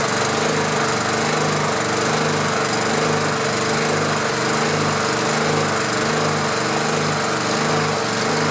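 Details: Honda GX pressure washer engine that sat about 10 years, right after the coil was re-gapped. A steady, even hum with no misses or knocks, though the owner then says it needs choke and suspects a shifted shutoff-valve gasket is limiting fuel.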